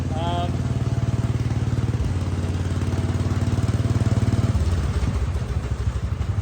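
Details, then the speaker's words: Wheel Horse C-120 single-cylinder engine running after fuel was drawn up and the filter refitted, on an old plug. Steady, even low thump holding its pace without misses or knocks; normal running. "How nice does that sound for a small engine? That was really good."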